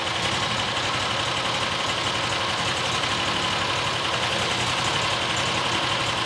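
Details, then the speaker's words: New John Deere XUV side-by-side after new fuel filter fitted: steady, even idle with no stumbling or surging, much better than before; likely debris in the low-speed circuit cleared. "Idling now. Idling a lot better than it was."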